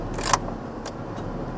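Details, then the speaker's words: Salvage-auction vehicle with damaged left front, idling after gear test: steady low even rumble under key jangle, no knocks or misses. Transmission shifts properly, no dash warning lights, good oil pressure; engine sounds good, normal idle. "Engine sounds good."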